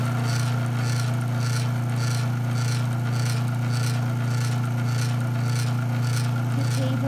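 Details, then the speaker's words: Sears garage door opener running without its case while running down: loud, steady motor hum with a rhythmic raspy scrape about twice a second, source unknown; unidentified noise while running. "it's much wider on the way down but i don't know what that noise is and the table does not vibrate as much"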